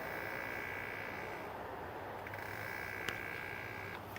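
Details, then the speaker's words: 2008 BMW 335i electric coolant pump activated for bleeding: a thin, steady, high-pitched buzzing whine, with no coolant movement seen in the reservoir, indicating a failed pump. "I think I'm bleeding the electric water pump right now. Can you hear it? And although it was my first time having experience with one, I've had enough experience with electronic components that I was like, that can't be how that is supposed to sound."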